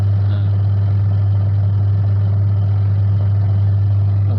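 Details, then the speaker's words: Washing machine that previously spun only one direction, after repair; wash motor tested turning right and left, steady smooth low hum with no grinding or stalling. Normal wash motor run in both directions. "Ini putar kiri ya, bukan kanan, karena di HP terlihat putar ke kanan tapi dia putarnya ke kiri."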